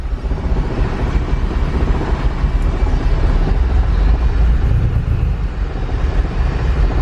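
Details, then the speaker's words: Turbo K24 Civic EP3, before fuel trim was added: deep, uneven, very low idle that sags and struggles. Fuel pressure is OK but the air-fuel ratio reads really lean. "idling really low air fuel is really lean"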